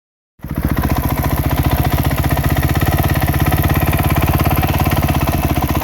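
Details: Honda CRF250R steady single-cylinder idle with a quick, even light tick over the exhaust beat; ticking top end, source not pinned down.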